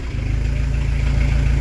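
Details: Diesel camper van after turbo replacement, preheated and started on open exhaust: low even diesel thrum with steady pulses; didn't stall, no extra noise, smooth healthy idle.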